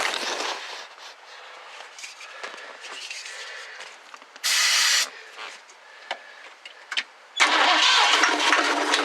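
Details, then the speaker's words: 1969 Ford Club Wagon van, 302 V8, given starting fluid: two short cranking bursts, it coughs and catches briefly but won't keep running. It has spark but little fuel. "it's got some fire in it"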